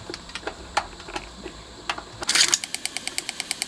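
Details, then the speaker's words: Bang & Olufsen Beocord 5000 vintage tape deck, new belt fitted: light crisp tick about six times a second in time with the drive, present forwards and backwards, seemingly from the pulley itself; later found wobbling with excessive runout. "it's still ticking where is it coming from seems to be coming from the pulley itself"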